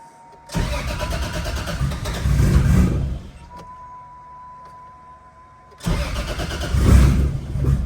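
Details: Nissan 350Z after crash repairs (control arms, steering rack, intercooler, radiator support): starter cranks, engine catches and runs then cuts out; a second start fires and settles into a deep, even running note.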